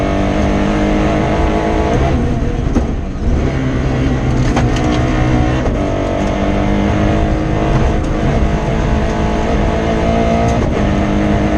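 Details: Rally car driven hard on Padmore Village to Golden Grove stage, Rally Barbados 2017: engine stutters and runs rough under load instead of pulling cleanly, misfire from a broken injector wire around halfway point.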